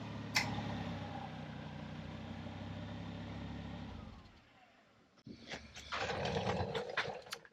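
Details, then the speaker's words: Volvo C30 driven straight under light load while chasing front-end noise, play found near liner, new liner to be ordered: even low road rumble, no scraping or rubbing; owner expects rubbing to return under load. "no noises but i got a feeling once we're under load that's gonna start rubbing again"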